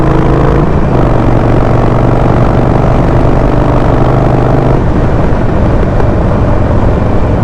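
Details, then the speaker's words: Harley-Davidson Sportster 48, Stage 1, on stock PV4 map, riding on road: engine note drops off throttle then uneven, sometimes very loud pops and crackles on every throttle release; attributed to too much fuel in the stock map. "see like every time I let go the throttle it just pop up and sometimes it's just really loud popping"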